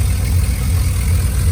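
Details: 2001 Silverado 5.3 V8 with GT45 turbo kit; cam still audible but quieter than with exhaust open. Deep, even burble, steady low pulse, no ticking or exhaust puffing: normal idle.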